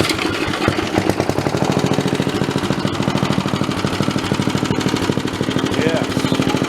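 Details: Old Snapper 3018 riding mower, which died while mowing, now with the original spark plug refitted: a quick, steady putter at a fairly even rate with no misses or knocks; normal running with the engine still hot and smoking.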